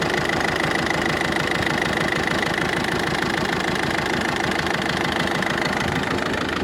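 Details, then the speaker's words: Ford Focus 2 1.6 diesel, newly developed knock: idle with sharp steady tapping about twice a second, now clearly heard from above though not at first; owner suspects pulley or tensioner roller, unconfirmed. Engine knock. "сверху уже чётко слышно поначалу не слышно было поначалу"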